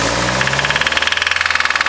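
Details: Nissan SR20 engine, owner Cristian's car, in a garage, idling with a hard, rapid, very regular metallic knock loud over the engine: a spun bearing.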